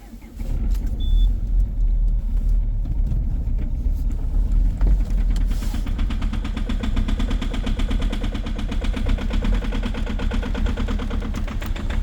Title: COLD START at -16°C with a very strong knocking sound 2.0 hdi #rybin